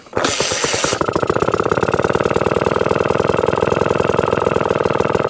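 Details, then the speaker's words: 1954 Atco Midget kick-start lawnmower, Villiers engine, restored, first run after 10+ years; throttle turned right down, rapid even firing beat barely hanging on without stumbling; normal very low idle. "oh you can't get it much lower than that that's fighting to stay out there oh that's low"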